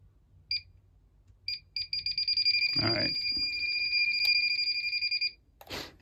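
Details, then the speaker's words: Combustible gas leak detector beeping faster into a steady stream of high pips near fittings between a gas furnace and a tankless water heater, pointing to a leaking union. "all right I think we found her oh yeah that Union right there leaking"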